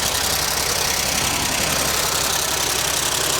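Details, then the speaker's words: 1963 Cadillac limousine V8 long stored in a junkyard, first run after being revived: quick light ticking, about three to four a second, over an uneven idle; valves chattering, otherwise sounds decent, single exhaust. "well them vals are chattering they are chattering sounds pretty decent yeah I guess it just has single exhaust it sounds like unless it's all rusted out just sounds like it's coming from this side right"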